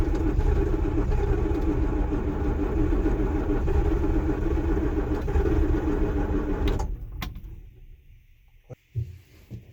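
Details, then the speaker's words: John Deere 6620 Sidehill combine diesel, not started in over a year, cranked with ether: steady rhythmic starter churning about three and a half beats a second, never catching, then stops; long crank no start, later started after more ether. "I had to crank the battery a lot to get it moving. It hadn't started in over a year, so it's a John Deere Sidehill 6620."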